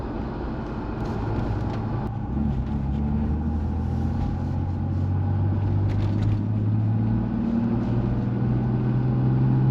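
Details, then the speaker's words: Toyota Supra MK4 after replacing the suspected noisy rear differential (old one likely never had an oil change), driving: deep steady drone and road rumble, no speed-following whine; normal rear differential. "So I've just taken the car for a drive, and as you've heard from that clip, it sounds a lot better than what it did at the start of the video."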